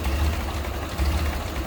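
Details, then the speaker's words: 1930 Ford Model A 5-window coupe, 201 cu in L-head inline-four on the auxiliary fuel tank, heard with the hood half open: low, steady idle with an even beat and no knocks or ticks, purring smoothly. "There's the L-head inline 4-cylinder, 201 cubic inches. And listen to it, look at it purring"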